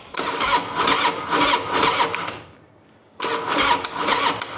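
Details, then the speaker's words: 1999 Harley-Davidson Dyna, carbureted 88 cu in Twin Cam V-twin, fuel on and choke out, cold start with a new Sawicki Speed exhaust: starter turns it over in slow, labored pulses, then stops; weak battery, so a jump pack is needed. "You know what that means? I got to get the jump pack out. We'll fire it up with the jump pack."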